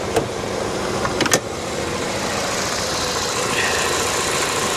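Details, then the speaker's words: Salvage-auction car idling after starting on its own: smooth, even, very quiet hum with no knocks or ticks. Normal idle; coolant present and no leaks seen. "okay she's quiet listen to this very quiet fired right up on her own didn't need any help for me"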